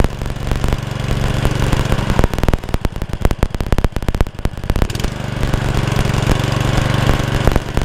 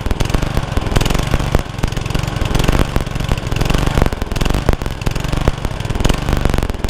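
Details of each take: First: Honda Lawn Flite 553 HWS lawnmower, started on choke: an even, steady single-cylinder beat with no surging; hunting cured, normal running. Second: Honda Lawn Flite 553 HWS lawnmower on the bench, used for weeks before this: choppy note that rises and sags unevenly instead of holding steady; the engine is hunting.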